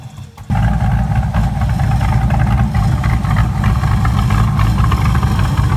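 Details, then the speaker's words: Salvage Factory Five GTM after battery terminals were replaced: engine idles really high, slightly lumpy, and won't drop; owner suspects a cam or slight misfire or air-fuel mixing problem, codes not yet read. "this thing is just idling really high and it stays idling doesn't want to drop"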